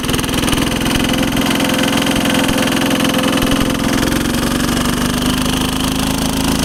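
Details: 1983 Case 446 repowered with a Lombardini 6LD 435 single-cylinder diesel, up a steep grade, engine a little cold, probably governed to about 3,100 rpm (factory 3,600): steady, strong clatter holding speed, even firing, no misses; normal running under load.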